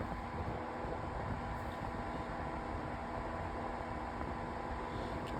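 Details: Cascade 40-inch tower fan on test run at speed 3: smooth constant airflow rush with a faint steady hum and no rattles; fan running normally.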